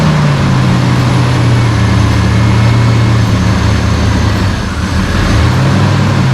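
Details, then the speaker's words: 1992 GMC Sonoma GT, 4.3 L CPI V6: low idle that sags and recovers partway through. This idle surge began after a tune-up and persists despite many parts replaced; the cause is unknown. "so after many many different attempts to try to fix it it's still idles like this"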